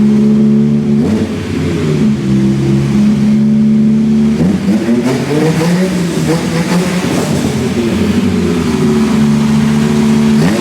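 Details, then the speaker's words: V10-swapped BMW E46 M3 after fixing exhaust manifold leaks and checking the injectors: strong, smooth rev blips and a steady idle, running on about 9.5 cylinders; it sounds correct, normal revving. "Hard to not get a bit carried away because that sounds kind of sick. Yeah, yeah, that was cool. That's a positive result."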